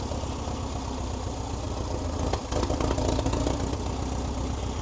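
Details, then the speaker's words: 1961 VW Beetle barn find air-cooled engine, after clutch and gear trials: low, uneven thrum about three and a half beats a second, settling into a steady, somewhat rough but running idle. Normal idle. "Woo! It's idling. Well, Well, idling. it was. Yeah. Woo!"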